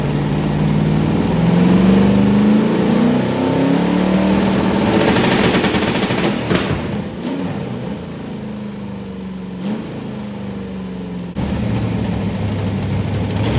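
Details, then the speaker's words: 1990 Lincoln Town Car with 5.0 V8, T-5 manual, GT40 heads, BBK long-tube headers, carburettor, MSD ignition, first fire after build: engine revs and settles with sharp, raspy puffing over the exhaust note. Exhaust leaks suspected all over; a freeze plug also leaks. "so sounds like we got like exhaust leaks all over the place it's a mess right this minute but uh it did run they fired up"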